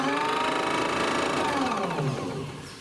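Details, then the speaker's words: Electric drive motor running in reverse on solar panel power only, after fixing loose magnets and reducing motor vibration: smooth, even, quiet whine with no knock or grind, dropping in pitch as it slows; normal. "why is it so quiet in Reverse W should drive in the reverse all the time"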